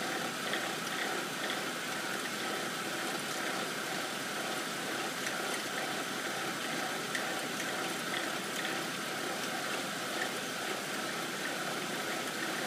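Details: 2007 BMW 328 N52 petrol engine idling cold: steady hum with a busy light rattle/vibration, only at idle and easing once fully warm; cause undetermined.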